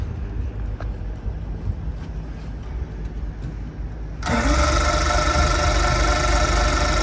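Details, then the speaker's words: Boat engine converted from fuel injection to carburetor, rewired with a newer harness, no fuel in the system, sprayed with carburetor cleaner: steady rhythmic cranking about three beats a second but it never fires; cause not yet found. "but he doesn't start so I gotta find out what's going on"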